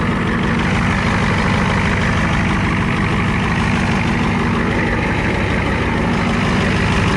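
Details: 1994 Ford F250 7.3 IDI diesel, new turbo, CAT injection pump, after cold start without glow plugs at about 80°F humid; loud steady settled clatter through open exhaust; normal idle.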